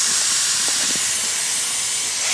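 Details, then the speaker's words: Natural gas meter valve with its lock nut loosened and the valve opened: steady high hiss of gas escaping. "We've just loosened the lock nut. And we open that. I think that's bad. You can hear the gas escaping."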